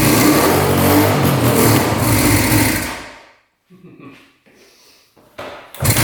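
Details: 1974 Suzuki GT750 two-stroke 750cc, sat 30+ years in a barn, new fuel filter, choked and primed: fires and runs with a busy, buzzy beat about three a second, then dies away; first start after long storage.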